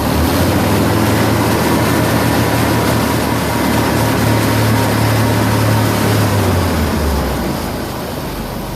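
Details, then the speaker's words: Jeep Comanche running after 10 years sitting, new fuel pump fitted: slightly uneven loping idle about four pulses a second, fading; rough idle suspected from very bad old gas, with oil and coolant leaks. "it's really bad gas that's in there like really really bad gas"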